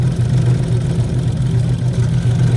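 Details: Rough-running car with a dead cylinder: low, lumpy idle with an uneven pulsing beat that never settles; injectors unplugged one by one while running, and water was found in cylinder number six; blown head gasket suspected.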